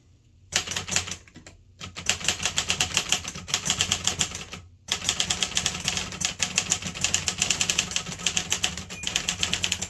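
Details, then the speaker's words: 1964 Olivetti Lettera 32 manual typewriter: crisp, even key strikes in quick bursts with a very light typing action, smooth carriage movement and no sticking or dragging; normal, healthy typing. "Very light typing action on these, almost like an electric. I recommend these if you don't have a lot of finger strength."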